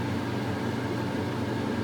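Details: Vintage Maytag washer spinning and draining: even, steady motor hum with smooth whir and no knocking or scraping; spin sounds healthy.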